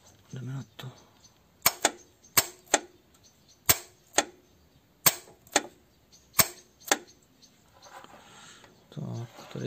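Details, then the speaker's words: AC compressor removed for bearing replacement, bench test of electromagnetic clutch by jumping positive contact: five pairs of sharp metallic clicks, crisp pull-in and release; clutch works properly. "Uděláme si test elektromagnetické spojky klimakompresoru pomocí propojení kontaktu plus."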